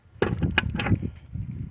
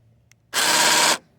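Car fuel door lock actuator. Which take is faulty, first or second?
second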